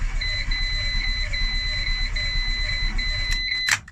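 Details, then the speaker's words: Renault Twingo after an engine swap, cranked with the ignition disconnected to prime oil: the starter churns unevenly and never catches, under a steady high warning chime because there is no brake fluid yet. "okay remember the ignition is disconnected so it's not going to start up try again pumping the oil around the engine"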